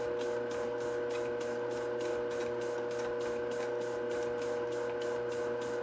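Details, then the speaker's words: Globe SP08 mixer running a 3.5 lb dough batch at 53% hydration, under the manufacturer's 4 lb limit, a few minutes into a 10-minute mix: steady motor hum with a dry creak about once a second, straining on stiff dough. "Specifically, it tends to happen with lower hydration, heavier doughs or enriched doughs. So we'll just let it run here for a minute, and you can hear some of the creaking that I'm talking about."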